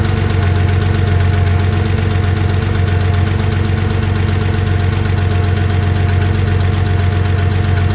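Steady idle with a sharp, even tapping riding on top, nearly four ticks a second, clearly audible; ticking at idle, cause unknown.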